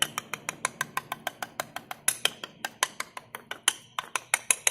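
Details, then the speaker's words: 2017 Honda New City: sharp light clicks, about four a second, from a front wheel center cap with play against the rim hub, worst on cobblestones or bumps. The fix is double-sided 3M tape inside the cap. "agora quando você chega na dianteira aqui disse uma folga entre essa tampa e o aro da roda o cubo da roda que a parte central"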